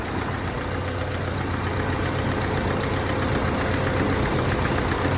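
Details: 1931 late Model A Ford coupe with a new Snyder 5.5 head, first run after a full engine teardown, still cool with the thermostat not yet open: steady, even low idle with a smooth, regular beat and no knocks or misses; a healthy engine settling as it warms.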